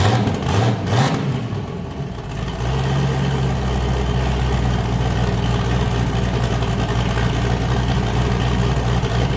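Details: Just-started boosted V8 with a new cam, after a repair; it had earlier made 23 psi and blown a boost coupler, and the owner feared engine damage. A deep, lopey idle settles after a blip, with an even chop on all eight and no misses: a normal lumpy cam idle.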